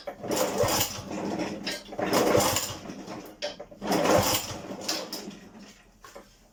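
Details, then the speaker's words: Honda HRD536 lawnmower after replacing the drive clutch plate: three pull-start bursts, each spinning briefly and dying with no firing; cranks but won't start because the spark plug lead was left off. "Do you know what really helps when you try and start a petrol engine? You put the spark plug back on. And now it will work."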